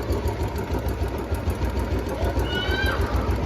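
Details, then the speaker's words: Royal Enfield Bullet 350 at about 3275 km, idling after adding Abro Premium Oil Treatment additive: slow thumping idle with a quick light tick about three per second confirmed from the top of one side; owner suspects the copper exhaust gasket. "और उधर की side से जो kid kid kid kid की आवाज आती है यहां से है वो आवाज हां यहां से वो आवाज और ये कंफर्म हो चुका"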